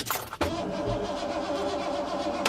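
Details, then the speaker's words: Ford Econoline E-150 camper van, 5.0 302 V8 with a sputtering/hesitation problem worse when warm (about 75°F); it died on the road: starter whirs steadily but the engine never fires. Owner suspects the ignition module or MAP sensor. "and so now I'm sitting here and it won't start I can try to crank it but it doesn't do anything"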